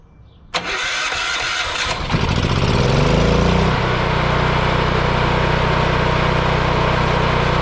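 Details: Yamaha EF4000DE generator: click, couple of seconds cranking, then it catches and settles into a steady even run; starts fine, owner believes low oil shutoff from low oil had kept it from running.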